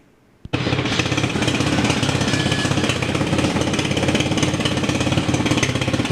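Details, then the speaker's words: TaoTao 250cc ATV after replacing ignition wires, CDI, coil, regulator and plug, started cold near freezing and still needing choke: busy, fast, even clatter with a light tick riding on it; possible cam tick. "oh okay now it kind of sounds like it has a cam took an uh pred it up running for a while UC CD seems to be working and uh seems to be running okay"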